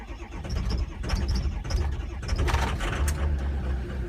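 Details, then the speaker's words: 2005/06 diesel truck with EGR cooler failure, cold start after battery charging with glow plugs on: about two seconds of cranking, then it catches and settles into a fairly smooth, steady diesel clatter; normal cold start. "there goes just popped off we're on a pretty freaking smooth actually really"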